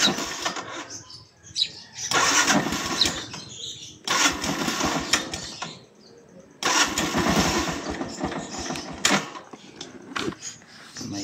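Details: Yamaha YTX125 motorcycle, battery at 10.5 V and draining again 4 days after burnt wiring was repaired and the regulator replaced: several rough starter bursts that never catch. Weak cranking from the discharged battery, with unstable voltage.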